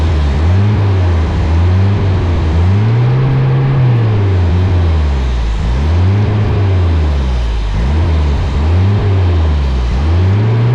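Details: Toyota with swapped-in 22R engine on carburetor, revs held by hand: low note surging up and down every second or two, hunting unstable idle; suspected vacuum leak under carburetor from a substitute gasket, checked by spraying.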